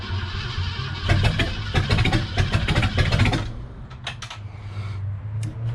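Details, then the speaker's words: 1966 Ford Galaxie with freshened 390 FE V8 on first startup, firing order checked, distributor tweaked, points possibly hazed from sitting a year, fuel filter dripping: lumpy, uneven idle stumbling irregularly; rough running. "not happy all right so i took the distributor cap off and sanded on the points a little bit just to see if they had maybe hazed over from sitting for about a year"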